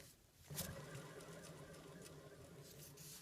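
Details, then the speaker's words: Remanufactured alternator, replaced within the last four years, removed from a 2003 Mercedes W163 ML350 and spun by hand. Dry, gritty, uneven rumble with no shaft play, suspected dry or failing bearings. "there isn't any play in the shaft here but that sounds like dry bearings or some kind of bearing problem"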